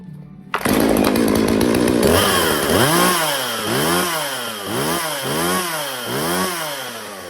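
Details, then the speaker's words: Jonsered 2036 chainsaw, long abandoned, cleaned and reassembled: a crisp two-stroke buzz revving up and down in steady waves, with clean pickup and smooth return. Some chain rattle is heard, though the chain is already fairly loose. Saw runs well. "right, well, she runs good, as you can hear. Everything seems nice."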